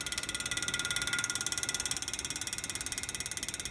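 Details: PTAC unit with fan running: crisp, even high ticking three or four times a second, no motor drone; fan blade balance clip striking each revolution, ticking stops once clip moved.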